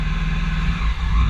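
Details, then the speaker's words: Supercharged M54 BMW Z3 after swapping the aftermarket throttle body for a used genuine BMW unit, TPS reading in live data: deep engine note sags and nearly dies as throttle opens, then recovers; tip-in stumble persists, cause unknown to owner. "Yeah. If you can hear that, you press on the gas and it wants to die."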